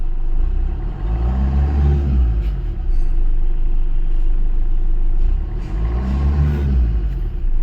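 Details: Maruti Suzuki Swift diesel with a crank-but-no-start complaint, starting after relay cleaning with WD-40: engine catches and runs smoothly, two clean throttle blips rise and settle evenly; no misfire or knock.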